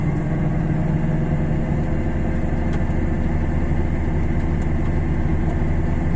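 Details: Raised driven wheel (rear wheel chocked) spun by the running engine in 4th gear, in winter with possible snow and ice hitting the arch liners: a steady low drone with no clear separate bearing growl. A worn hub bearing is suspected but not confirmed.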